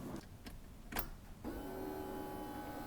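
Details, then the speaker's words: 1971 Mach 1 Mustang with a Holley Sniper fuel injection kit and rear-mounted electric fuel pump, after main relay installation, at key-on: a few faint clicks, then a steady high electric hum holds as the fuel pump primes normally. "bingo we got a fuel pump so now that would be prime once it starts running it'd go from"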